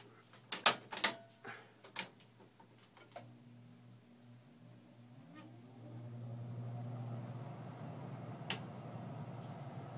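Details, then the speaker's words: Central Environmental Systems electric furnace air handler with a 3-ton Rheem heat pump wired for cooling only: relay clicks, then a faint rising screech as the blower spins up before settling into a quiet, steady fan hum. "pretty quiet got a little screechy sound when it starts up to it it works pretty good works pretty good"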